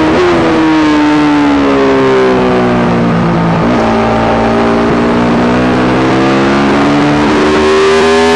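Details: Yamaha YZ450 single in a supermono race bike revving hard through the gears, rising and falling, with a stumble partway and uneven beat. Constant misfire worsening after a couple of laps; carb, fuel system, ignition, coil, generator changed, cause unknown.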